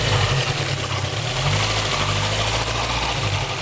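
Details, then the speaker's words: Citroën Xantia 1.8 at idle: a rough, rattly mechanical clatter under the exhaust note that seems to come from inside the block. The tensioner pulley is also suspected; the cause is unconfirmed. "J'ai l'impression qu'il y a un petit film là, moi. Pas moi. Ça vient de dans le bloc."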